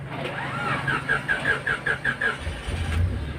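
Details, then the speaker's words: Honda Civic LXi with check engine light, code P0188, and high fuel consumption: about eight even cranking pulses over a couple of seconds before firing; long crank before start, faulty ECT sensor suspected, not confirmed. "Napansin niyo guys no medyo mahaba 'yung ikot ng makina. Matagal ang redondo."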